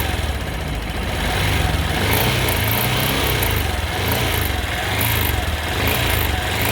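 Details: Honda XRE 190 engine at high revs: a sharp, high rattle pops in and out about twice a second, only when revved hard; the source is unknown.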